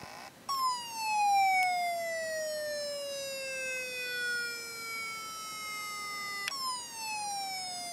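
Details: Very old laptop hard drive on an external adapter, turned over and vibrating: a high whine slides steadily down in pitch for several seconds, then jumps back up and falls again; sounds like a failing drive.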